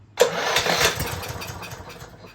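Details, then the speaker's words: Lawn Boy 21-inch self-propelled mower, Kohler XT650 149cc, unrun for years, electric start on rigged battery, starting fluid, no air filter: bursts into life about a second then sputters and dies; spark and compression confirmed, fuel problem suspected. "come on well we know we know that she will fire we know that we had compression we had Spark so we just got to get the old fuel situation figured out"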